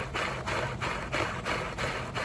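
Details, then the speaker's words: Oreck XL9100HG vacuum: steady motor hum with rhythmic rasping swish about three times a second from the brush roll, worn brush roll needing replacement; harmless to run for now. "Yeah, there's some noise there. The reality of it is I need to replace this brush roll. It's not going to hurt anything running it as is for now, so I'm not freaking out about it."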